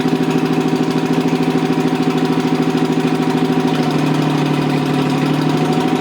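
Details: Rebuilt Toyota 7M-GE on a furniture dolly, valve seats dremeled: lumpy idle with an uneven chuff about three a second; pulling number three made no change though it sparks, suspected bad plug or no compression; dead cylinder.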